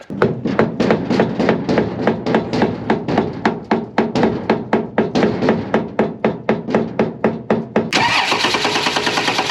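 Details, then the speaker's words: Hurricane-flooded Dodge Dakota 4x4 convertible: about four starter pulses a second grind for nearly eight seconds before it fires and settles; long crank, fuel pump suspected near dead, no water found in fuel. "I think that fuel pump's about dead all right hold on absolutely no water so that's good"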